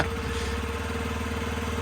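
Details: 50cc Yamaha Vino scooter after repair, with a new battery and the fuel injector solenoid plugged back in: steady, even putter at a constant pitch with no misses or knocks; normal idle.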